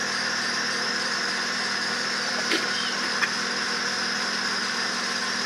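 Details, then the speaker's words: 2008 Acura TL 3.5 V6, idling after swapping from cylinder 5 to 4: quiet idle with faint uneven stumble and light whine from noisy belt; cylinder 5 still misfiring, compression difference 5 PSI acceptable. "And cylinder 5 is still misfiring."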